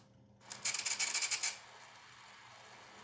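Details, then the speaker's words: PS4 disc drive with slow disc intake and eject, after cleaning and reassembly, no disc inserted but reporting an unrecognized disc: about a second of quick, high, scratchy ticking as the mechanism cycles repeatedly; the gears are suspected. "it seems to think that there's something in there unrecognized disc why is it he's just still think there's a disc in here that's the sound i think that's the gears"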